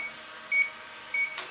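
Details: transCooler 25 cooling unit with Danfoss BD220 compressor, lost its refrigerant: leak detector gives two short sharp beeps at a hole the customer drilled into the evaporator, where refrigerant is escaping.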